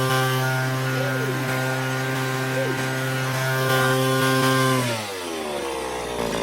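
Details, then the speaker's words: Vintage Echo PB-202 backpack blower, almost 40 years old, half choke, partly warmed, full throttle on synthetic 2-cycle oil: high steady screaming tone then smooth drop as throttle eases; strong clean two-stroke run. "is insane right there, folks. Yeah, she got warmed up a little bit."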